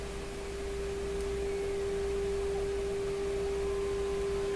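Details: Canadian PYE Model 762 valve receiver during IF transformer alignment: a steady, pure whistle of about 400 Hz over faint hiss. A heterodyne from two close frequencies in the mixer is suspected, but the cause is unconfirmed.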